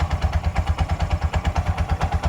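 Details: Bajaj auto rickshaw 205cc engine after welding with a round piece, clutch pressed: a steady, even single-cylinder idle with no knocks; only a slight clutch bell sound, which is normal.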